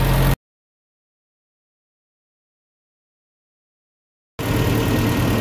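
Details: 1977 Triumph Spitfire 1500 with dual SU HS4 carbs, flat-top pistons and a shaved head, after valve lash, timing, new spark plugs and carb balancing (front carb was lean); steady, even idle, a gap, then the same smooth idle; normal idle.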